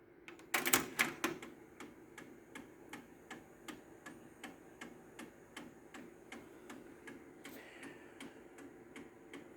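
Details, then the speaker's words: Technics RS-TR165 dual cassette deck, recording-deck mechanism: sharp, steady clicking about two to three times a second from a suspected failing internal gear, before the gear is replaced. "this mechanism I think the gear inside of it is going bad okay so I ordered some gears from eBay now here is the symptom you can hear a clicking noise"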